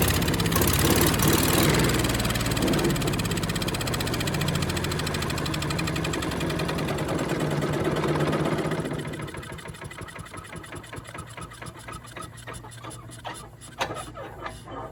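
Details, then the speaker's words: Yard Machines chipper with a Tecumseh engine, found discarded, on a pull cord with fresh gas and a squirt of spray. It runs rough about eight seconds, then sputters and dies. Spark, compression and timing are good but there is no fuel, so the carb comes off next: fuel starvation. "okay well we got spark we got compression we got timing we don't have fuel so i think we know what's next we got to get that carb off"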